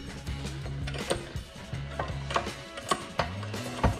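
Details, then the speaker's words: Predator 224 engine with PKRPM cam replacing Mod 2 cam, cam already ground but still hitting, crank spun slowly by hand: a few light irregular metallic clicks as the connecting rod catches the cam lobe; needs more clearancing. "Yeah, you can hear it hit just a little bit."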